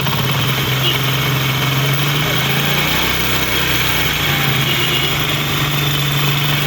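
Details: Honda CD 70 motorcycle engine idling, tappet cover area: fast light metallic ticking from excess valve clearance, not timing chain roller; fixed by tappet adjustment at top dead centre without parts replacement.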